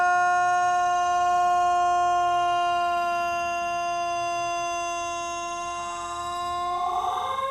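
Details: Thunderbolt tornado siren with bad rotor bearings, still broken: holds a thin, weak wail for seconds, then labours to climb in pitch near the end; siren bearing failure.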